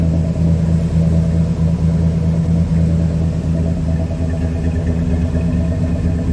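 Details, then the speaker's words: Chevy S10 with cammed V6, first cold start since September after new clutch, flywheel, valve covers and rebuilt power steering pump: hesitated then fired first try, lumpy loping idle with deep rumble, sounds good. "okay fired up on the first try it hesitated there for a second but it fired up yeah that's what that uh cam v6 sounds like man that sounds good"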